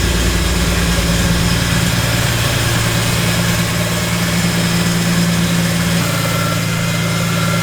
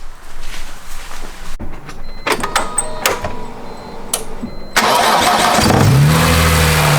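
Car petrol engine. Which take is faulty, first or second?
first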